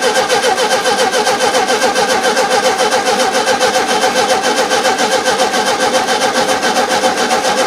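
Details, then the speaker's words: 1971 VW Super Beetle, freshly cleaned and refitted carburettor with choke and throttle cutoff connected; steady cranking about two turns a second that never catches, not getting fuel; hard starting before idle jet was loosened. "Let's have to crank on it, see if I can get some fuel in there."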